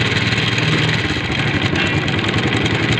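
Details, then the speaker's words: Small motorcycle engine idling: fast dry tick-tick rattle from timing chain side, timing chain noise; remedy offered is fitting a harder timing chain tensioner spring. "आपके bike के engine में से आवाज आना शुरू हो जाती है जिसे मैकेनिक लोग बोलते हैं कि आपके टाइमिंग चैन खत्म हो चुकी है"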